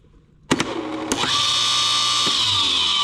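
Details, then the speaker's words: DIY 10 HP rotary phase converter fed at 241 volts: with the start button released too soon the idler motor spins up with a steady hum and harsh buzz, because the start capacitors stay engaged only while the button is held. "Did you hear that buzz when I didn't hold it long enough? That is the start capacitors not being engaged long enough."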